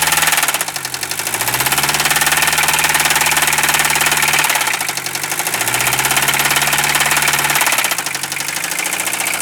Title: RIP POOR OLD 1973 MERCEDES 220D DIESEL WITH ROD KNOCKING SOUND